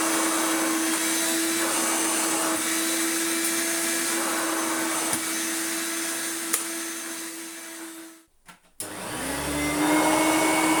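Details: Hoover Turbomaster Electronic vacuum after new belts and belt-shifter repair; steady clean motor whine, brief cut-out while switching carpet/hard-floor mode, then smooth pickup; reliable operation, normal running.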